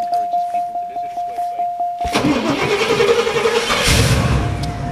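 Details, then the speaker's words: 1985 Oldsmobile Toronado, 40,000 miles, cold start after sitting collecting dust: steady even cranking pulses for about two seconds, then catches at once and settles into a smooth run; starts right up. "starts right up my brother needs to have me sell this piece of junk tornado with 40,000 Mi 1985 just sitting around collecting dust"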